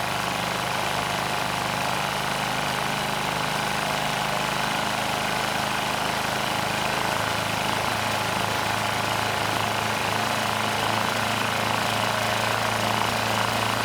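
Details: SX Power Series Powermate 3250 W generator (PM0123250) started first pull on choke with a light plugged in as load. Carb has issues, so the engine runs rough, but there is no knocking and the generator makes power. Rough running on choke.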